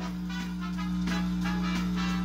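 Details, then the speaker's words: Curbside-found Technics SL-B2 turntable plugged into a tuner on phono: a steady low hum sits under the music and never changes with it. The owner suspects the record player needs grounding. "there is some music coming up so the hum sure doesn't sound good but uh it could be that i need to ground the record player"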